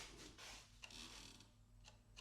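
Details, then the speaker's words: 1987 Yamaha FZ700 left turn signal, housing broken and melted: a couple of faint uneven relay ticks, no steady flash rhythm; flasher struggles as left signal shorts to ground in the damaged housing. "It struggles. As soon as it hits left, it's like, nope. I can hear it trying."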